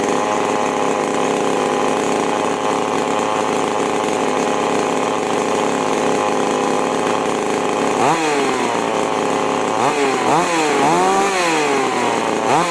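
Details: Chainsaw (5200/5800 class) after carburetor H and L screw tuning: high steady scream at full throttle, then strong even bog and recovery while cutting; clean throttle response, carburetor well tuned.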